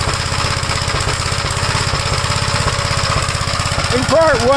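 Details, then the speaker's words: 1956 Gravely L, cold engine, choked and throttled up, with vacuum leaks already checked. It starts on the first pull but runs rough with lumpy, uneven single-cylinder firing at about three beats a second. The owner is unsure what happened inside the carburetor. "we did uh check for vacuum leaks and stuff you can uh hear that it's not running right at all but it starts on the first pole when the engine's called"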